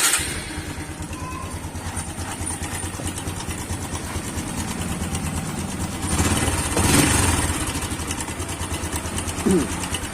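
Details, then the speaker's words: Motorcycle idling loud and rough with a fast metallic rattle; timing chain slack, likely from worn chain roller, stretched chain, or tensioner. "Lihat, kalian bisa mendengarnya sendiri; Suaranya agak kasar. Biasanya, suara seperti ini berasal dari rantai timing. Rantai timing mulai longgar, kemungkinan karena roller rantai aus."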